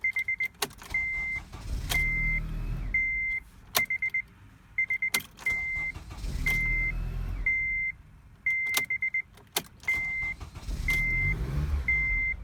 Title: 2007 RDX cranks, no start